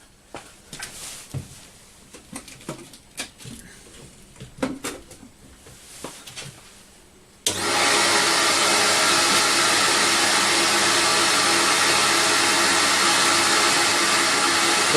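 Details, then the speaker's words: CamVac CGV286 twin-motor workshop dust extractor, about four years old, running with baffle tubes directing exhaust air: handling noise then steady even rushing whine, no rattle; runs normally. "t home you really hear the motor working and it's the the main part the noise is the air being extracted from the machine and by using the baffle tubes I'm directing the noise away from where I'm standing so it just makes it a softer noise to work with"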